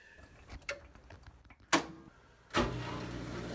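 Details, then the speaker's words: Front-load washing machine drain pump during drain and spin test: after clicks, smooth steady low hum with rushing water and felt vibration, no growl or buzz; drain pump working normally. "there's a nice sound listen to that water pump ooh i put my hand down there and i feel the vibration"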